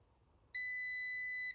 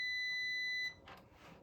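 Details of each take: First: Multimeter continuity check of leg joints near R50 on a Supersonic pinball board: a single steady high beep of about one second; continuity beep, good connection. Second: Supersonic pinball lamp driver board, continuity test: steady high meter beep on Q50 (bonus 8K lamp driver) only, then probe clicks; Q50 transistor is shorted and needs replacing.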